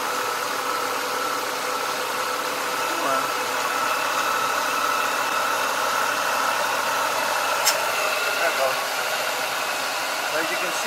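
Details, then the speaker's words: 1996 Mustang idling with a newly replaced AC compressor engaging on defrost: steady, even hum with no grinding or rattle. Normal compressor operation. "now it's kicking in sounds good"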